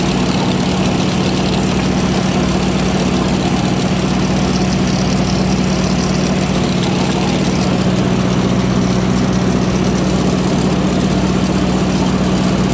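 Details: Ford 515 sickle mower behind a tractor on its first easy test after fitting the shield, cutting grass under light load: steady tractor drone at even revs with the cutter bar chattering evenly. Normal mower operation.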